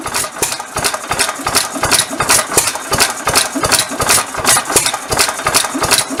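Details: 1922 Bentall Pioneer 3-4hp single-cylinder engine from Maldon, UK, running after a rebuild. Crisp, even firing beat near three per second at a steady speed with no knocks or misses; healthy.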